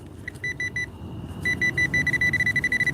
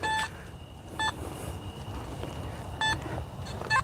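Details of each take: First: Metal detector on a night coin hunt, set to its low iron tone: a run of short, even beeps at one fixed pitch repeats steadily. Ferrous target tone; such low tones have also turned up stainless steel jewelry. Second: Metal detector swept at night around a playground metal structure while coin hunting; short high beeps at uneven intervals about once a second as the coil nears the structure, a response to large metal rather than a coin.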